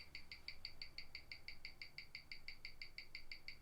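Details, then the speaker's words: 1997 Omega Speedmaster Professional Moonwatch, caliber 1861, on a Weishi 1000 timegrapher; crisp, even double ticks at a steady quick beat, nothing dragging or skipping. Running at plus six, pretty good for what it is. Normal watch tick. "okay there we go it's still running at plus six I would say that this is pretty good for what it is"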